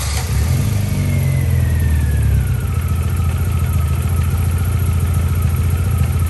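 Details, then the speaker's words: MG ZR, warm engine after a coil pack replacement, starts better but still idles low, uneven and lumpy without settling; rough idle persists, and the mechanic suspects an electrical gremlin, possibly joins in the coil pack wiring. "but it started better but i don't know because it was warm um but it's still not idling right something's still not right somewhere"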